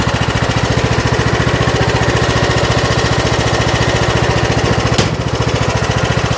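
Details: Troy-Bilt Pony riding mower, saved from scrap, after electrical fuse block repair and steering fix: steady, even single-cylinder chug at fast idle with one brief click; runs smooth and healthy. Normal running.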